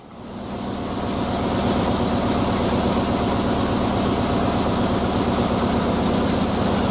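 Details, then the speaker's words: Triumph Spitfire idling, still missing on cylinder two right after fitting a brand-new distributor, which did not fix it; loping idle with a regular stumble: cylinder misfire. "still missing on two so so good news bad news scenario good news is i've got a brand new distributor the bad news is that wasn't it"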